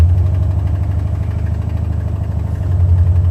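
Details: Buick 455 Stage-1 Regal T V8 idling about 1000–1200 rpm: fast light puffing tick on exhaust pulses from broken 11-year-old header gasket at #7 flange; new Stage 1 header gaskets planned.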